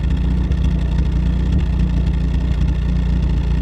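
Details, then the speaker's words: Pontiac Sunbird idling: low, lumpy idle with an irregular beat of three or four pulses a second and small stumbles or hiccups; owner thinks idle speed is set too low, clean when revved, cause unconfirmed. "she is kind of hiccuping a little bit at an idle but again see if you can hear that"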